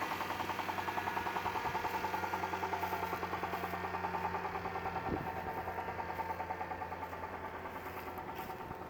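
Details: Engine idling with an even, fairly regular knock about three per second; owner asks if it is rod knock, oil pressure sometimes good, sometimes none; cause unconfirmed.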